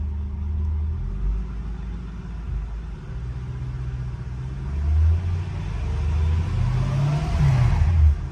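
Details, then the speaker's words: Mercedes E55 AMG automatic, solenoid, switch gear and plug already replaced: in reverse, the engine revs rise and fall freely with no load or take-up, so reverse is not engaging. "No, not doing anything. Now, what Nick did say is if you turn it off and then turn it back on again, it would do it."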